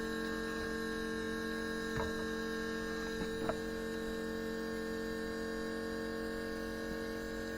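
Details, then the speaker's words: 4WD Daytona temporary fuel system with lift pump, surge tank, high-pressure booster pump and adjustable regulator; pump on battery power with regulator set to 60 psi, said to work less hard at lower pressure; steady quiet single-pitch hum, couple of faint handling clicks; running normally. "see it doesn't have to work as hard the the less pressure you put in"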